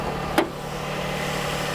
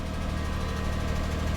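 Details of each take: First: 2004 Lexus RX 330, 3.3-liter V6, first start after purchase: one click, then a smooth, even low idle hum with no knocks or misses, smooth at the steering wheel; healthy engine. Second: 2004 Lexus RX 330, 3.3 L V6, first start after wholesale purchase, relatively new battery: smooth, steady idle with a faint light ticking on top; owner notes clicking but says it doesn't sound bad; cause not pinned down.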